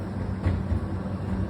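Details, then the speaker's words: Hoover H-DRY 300 tumble dryer, new and damaged in a fall, running with deep rhythmic thumping as dents in the drum rim (marked with tape) roll over the left and right support rollers; drum felt uneven turned by hand; fix is straightening the dents. "І коли цей горлик наїжджає тут на на барабан на на ролик воно Гупає гуп гуп ті от речі ті речі треба повирівнювати цю і цю і не буде гупати ось і все як най"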